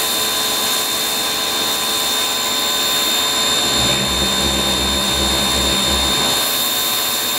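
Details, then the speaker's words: Ryobi 1600 PSI 1.2 GPM electric pressure washer, third use, turbo nozzle on after priming without nozzle; steady high whine with low uneven pulsing surge for a couple seconds, then easing; pump losing prime. "Just listen to the pump, and you can hear it lose its prime."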